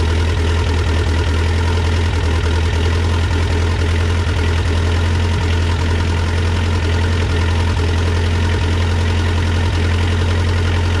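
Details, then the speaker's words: Cold start, about 40–45°F, on a rebuilt Mitsubishi 4D55T diesel in a Dodge Raider/Montero: deep uneven idle with occasional stumbles. It started fairly easily but still misfires slightly from air in the fuel lines, caused by slightly leaking injectors (notably 2 and 3). "so there you have it that's a cold start it actually started pretty easy but you can see it's still misfiring a little bit because it's cold it has a little bit of air in the line but it's good enough to drive"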